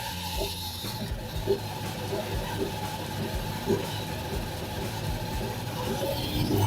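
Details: Samsung DV80M5010QX 8kg heat pump tumble dryer running: heavy rough low rumble with occasional knocks from worn motor bearings, fixed by replacing the motor bearings.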